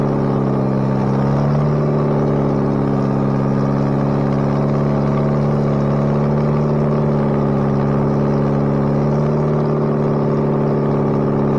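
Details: Bobcat 642B skid steer after head gasket replacement, working: steady drone holding constant pitch, no knocks, misses or rattles; runs pretty good now. Normal running under load.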